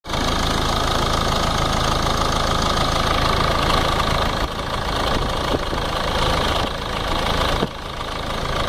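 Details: Ford Ranger 3.0 NGD diesel at idle: fast steady clatter, about four knocks a second, from the front timing case; cause not pinned down; timing case noise.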